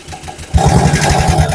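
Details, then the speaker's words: Suzuki Futura, used car with oil turned to sludge from fake, non-recommended oil, light throttle blip: a rough, clattery mechanical noise rises over the idle from the upper or middle engine, still to be inspected. "Terus, nah, bunyinya ada agak bunyi kasar bagian atas ya. Nggak tahu di atas, nggak tahu di tengah, nanti kita cek dulu guys."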